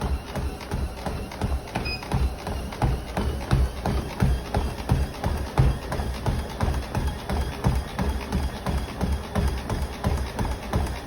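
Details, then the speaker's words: Treadmill deck clicks regularly, about one and a half per second, under steady running footfalls at 8 incline; clicking also heard at 2 incline. "Then when I run, there's a clicking noise from the deck."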